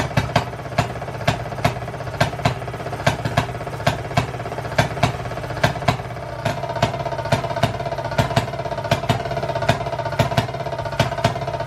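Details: Circa-1920s Maytag two-stroke washing machine engine, said to be rebuilt, first run after 5+ years: sharp pops about two per second, drifting from firing every revolution to skipped beats over a ticking idle; healthy hit-and-miss running.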